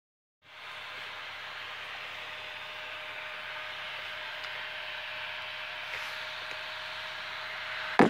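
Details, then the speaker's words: Older computer, before repair: a loud CPU fan with a steady airy whoosh and mid-pitched hum, heavy dust on the heatsink; fixed by cleaning the case, reapplying thermal paste and fixing a stalled case fan, lowering noise and temperatures by 20°C. "I'm gonna troubleshoot this problem I have with the CPU fan it's making a lot of noise as you can see this is an older older computer and I haven't really dusted it very much but there's a lot of dust buildup on the heatsink itself"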